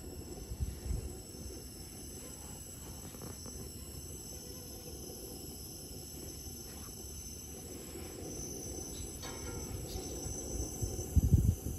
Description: Dyna-Glo Grill has strange "hissing" sound when ignited.